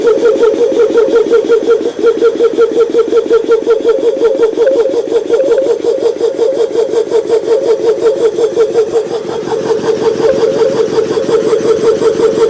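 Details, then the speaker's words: GSV-1/12 (1101V5) compressor after repair, parts turned down on lathe, bench-tested before return: steady, even chug about 170 strokes a minute, clean tone near 500 Hz, no knocks; normal compressor run. "робота зроблена робота виконана компресор випробуваний клієнт має бути задоволений"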